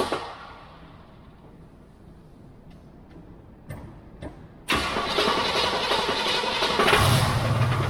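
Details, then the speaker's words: 1979 Pontiac Firebird Trans Am with the 6.6 big block, started after standing: quiet, then the V8 fires abruptly into a loud, busy idle with a rough pulse; a reported noise that could be the converter or the engine, source unclear. "so I lost the noises they say maybe it's the converter it could be the engine that could be a lot of things"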